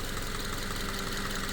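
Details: Subaru FB non-turbo engine after a no-oil-pressure repair following an oil change, with the pickup screen removed and oil going straight to the filter and journals: steady even idle hum, no knocking or tapping. Engine healthy, though long-term outcome is uncertain.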